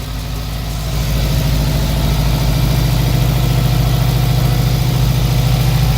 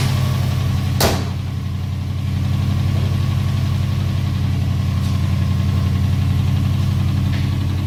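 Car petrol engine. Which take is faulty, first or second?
second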